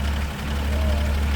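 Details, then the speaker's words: 1941 Studebaker Commander, restored 225ci straight six, rebuilt single downdraft carburetor, new coil, six-volt system, in neutral just after start: low, soft, even hum, no ticks or knocks, barely audible like an old sewing machine; normal idle. "Could barely hear it. Like an old sewing machine."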